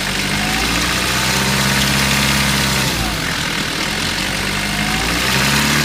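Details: 1993 Mitsubishi Pajero 2.8 diesel automatic at idle: fast, loose tinny rattle about three per second over steady idle; owner suspects timing chain rattle, unconfirmed.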